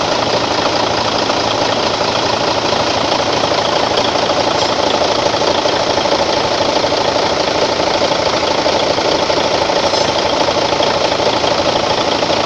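Steady, even diesel idle with a smooth, regular beat and no knocks or rattles standing out; engine sounds healthy.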